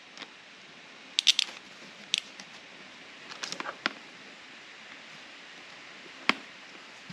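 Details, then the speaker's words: 1993 Ford F150 5.0L 302 fuel injector (14.7 ohms) bench-pulsed by hand from a 12.7 V battery; a few sharp, crisp irregular clicks, solenoid snapping open fine. "But the thing is I heard the clicking sound."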